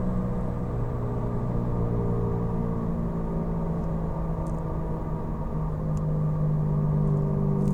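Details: Car cruising on Falken FK510 tyres: constant low droning hum whose pitch shifts slightly with road speed; suspected tyre noise, not confirmed.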